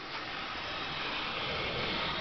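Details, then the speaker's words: Dodge Daytona EV conversion with Green WarP 9-inch motor, spun in neutral: constant even hiss from the DC-DC converter, fitted around July, hissing ever since but still working; motor brushes wearing unevenly, commutator marked. "Um, now the sound that you may be able to hear in the background is the hissing of the DC toDC converter. Uh, it's done that ever since I put it in um, I think back in July and it's still doing it, but it also seems to still be working."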